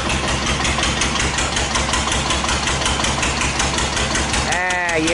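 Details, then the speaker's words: 1941 Witte CD 12 hp single-cylinder diesel 8000 W generator set, worn engine, 2000 W more load added toward 75%: slow two-to-three-beat thump labors and eases as frequency drops; owner suspects governor linkage backlash and flop; speed drop under load. "starting to slow down frequency dropped quite a bit oldest drop two yeah I don't think it's correct quite ready for 75 percent load"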